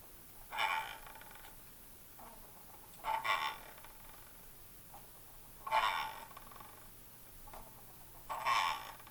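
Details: Logitech MX Master 3 mouse, switched off, after about a month of use: four short gritty rasping bursts about 2.5 s apart, one per spin of the electromagnetic scroll wheel; much quieter when the mouse is held upside down; scroll wheel grinding, cause unknown.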